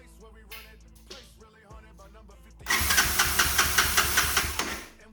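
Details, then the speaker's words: Old Honda TRX200SX ATV, thought late 1980s, first start in years, has compression, no tank: steady cranking about 2.5 turns a second for two seconds without firing; suspected lost spark, not fuel. "It's acting more of like a spark issue to me. It's like it lost spark. I don't really hear it trying to hit really."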